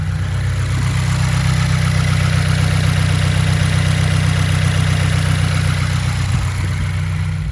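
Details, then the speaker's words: 2015+ Subaru WRX, after fixing the idle chirp that occurred with the clutch pedal released; smooth, steady low idle with clutch in and out, even rumble and no chirp or squeak; normal idle. "okay that's the clutch in clutch out no more noise problem solved"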